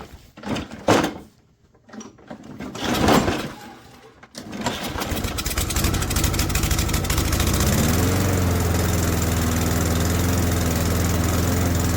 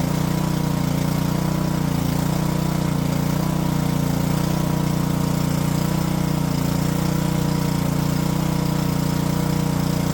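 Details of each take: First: Second junked Toro mower, after cleaning the clogged carburetor jet, catches after a few pulls and clunks, briefly rises, then settles into a steady, even drone; self-propel weak from a worn, hair-thin belt. Normal running. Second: Junked Honda-powered Homelite pressure washer after carb cleaning and a float-valve check runs at fixed speed but the note wavers and hunts; the owner suspects bad gas and drains it for fresh fuel. Surging.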